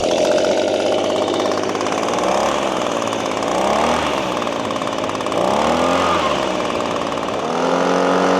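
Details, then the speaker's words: Six-year-old Echo PB-250LN handheld two-stroke leaf blower, warmed up and with a new air filter fitted: it buzzes and rises and falls with the throttle but never winds up to a crisp high scream. Not revving to full speed; cause unconfirmed. "I don't really hear that that winding out sound that it I think it did when it was more new."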